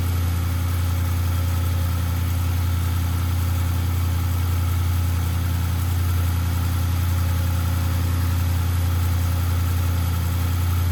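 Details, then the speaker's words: Audi RS6 C7 twin-turbo V8, first start at idle after engine removal, teardown and repair for misfire and rattle (fault found behind timing cover): smooth, even low rumble with steady beat, no stumbles or misses; normal idle, misfire gone. "We're running. No misfires just yet. So that's good."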